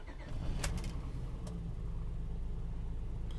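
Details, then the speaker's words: 2003 Honda Odyssey 3.5L, just started, check engine light on, code P0305: low, uneven, lumpy idle with the engine shaking; cylinder 5 misfire from an ignition coil not firing. "so right there as you can hear the engine is running and it's shaking a little bit so the check engine light remained on customers complaint confirmed"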